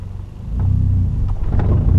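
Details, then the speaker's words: Manual-transmission car pulling away from a stop on slight incline; deep low rumble sags and labours, nearly dying, then picks up; engine bogging on pull-away from too little throttle. "like can you hear I kind of kind of Dy it a little bit there and that's fine this is why wasn't giving it quite enough throttle"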